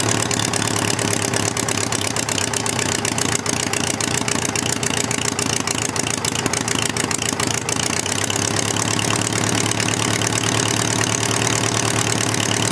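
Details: Homemade four-cylinder Briggs & Stratton engine after starter/generator replacement, having sat all winter: a steady, busy idle with no misses, knocks or surging. Cylinder temperatures are being read (266, 217...). Normal idle.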